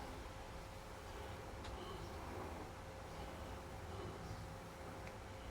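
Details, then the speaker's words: Regentone record player with Collaro RC54 deck, after servicing with a swapped idler wheel, running at 33 rpm: quiet, even run with a faint steady motor tone; the earlier bumpy idler noise is gone. "We're not getting that noise now. Oh, we got rid of that bumpy idler sound. So that's There you go. That's working well."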